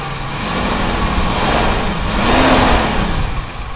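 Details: Toyota Kijang after engine and suspension refresh, points ignition converted to IC ignition: engine climbs in pitch with a throttle blip and settles back smoothly, no knocks or misfires; normal running.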